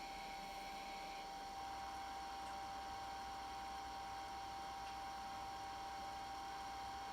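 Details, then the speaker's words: IBM PS/2 Model 70 Type 8570 powered on with a network card installed: only a faint, steady fan and hard-disk hum with a thin whine, and no POST beep. CMOS battery reads 1.7 V instead of 6 V; cause not confirmed. "all right well the fan spins as you can hear we got power the hard disk spins we don't get the beep"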